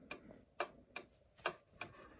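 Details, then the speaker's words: 110-year-old Ansonia Blackbird clock movement, freshly oiled at pivots and remounted in case: ticks in lopsided pairs, one gap clearly shorter than the next, about three beats a second; escapement is way out of beat. "Okay, so it's way out of beat. Dun dun dun dun dun dun dun dun. That's way off."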